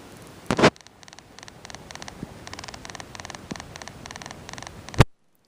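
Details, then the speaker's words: Sony Bloggie Touch camcorder recording its own internal noise: rapid bursts of high, dry clicking about twice a second under faint hiss, with loud finger thumps as its three microphone holes are covered and uncovered. "these are the microphone holes now i'm gonna cover those up with my finger and listen to what happens with that clicking sound"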